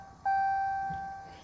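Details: Ram 1500 cab showing 'Service DEF System – Engine will not restart' after its 150-mile countdown hit zero and it was driven about 100 more miles. One long mid-pitched chime of about a second repeats; the engine won't restart.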